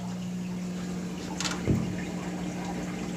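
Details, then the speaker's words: Frigidaire washer after replacing a failed drain pump that spun freely and pulling stuck clothing from between the tubs: smooth steady low hum with water trickling and gurgling, no grinding; normal drain pump, tub emptied. "that's how it's supposed to sound when the pump is running nice and smooth you hear the water trick in and now it means it's empty already"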